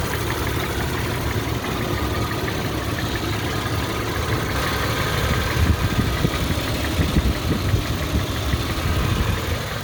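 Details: Toyota FJ Cruiser petrol engine idling: a light, quick ticking rides over the low rumble, steady with no load change; owner suspects noisy lifters or tappets, not confirmed.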